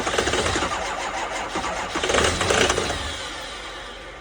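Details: 2005 6.0 diesel, first start of the day at 15 degrees in New York, on two batteries and a jump pack: starter churns steadily at about four beats a second but never starts; cold crank, no start.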